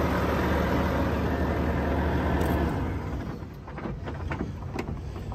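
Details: 2018 Volvo VNL630 truck, Volvo D13 455 hp, iShift, engine hot (170°), fast idle with oil filler cap off, no blow-by: steady even diesel drone with constant fan rush from A/C left on, then winds down at shutdown; healthy, no leaks.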